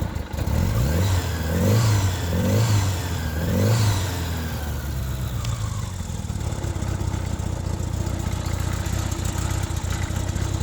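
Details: 1977 Honda GL1000 Gold Wing, still partly warm from a ride 45 minutes earlier, started in neutral with the choke off. Three quick, clean throttle blips rise and fall smoothly, then a steady, even idle; normal throttle response.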